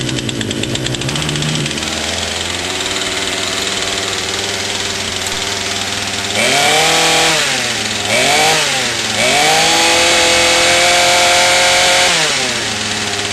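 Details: Craftsman two-stroke chainsaw after cleaning debris from clogged carburetor and its screen, following fuel line replacement: buzzes at steady idle, revs up and down crisply and settles cleanly; normal running.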